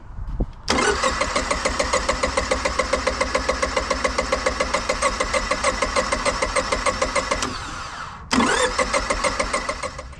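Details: Honda EV6010 generator in a '76 GMC Transmode motorhome, rear tank removed, fed from an external tank by a quarter-inch line: the starter cranks about 3.5 turns a second but never catches; the pump gets voltage; owner suspects a leaking carb needle and seat.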